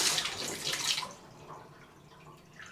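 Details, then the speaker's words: House bathtub drain after sewer repair, where water had previously backed up through the tub: water rushes steadily down for about a second, then quiets with no gurgling or backing up; it drains freely, faster than before. "that's faster than before bye golly George I think I fixed it"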